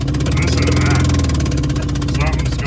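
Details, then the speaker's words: Renault 5 driving under load after a very loud bang and major power loss; sharp rapid chuffing puff on every firing stroke, owner suspects the spark plug was blown out of the head. "it was a very loud bang and then we've lost a lot of power we can't afford to lose a lot of power in this car something's very wrong oil but it's not too I think it kicked the spark plug out"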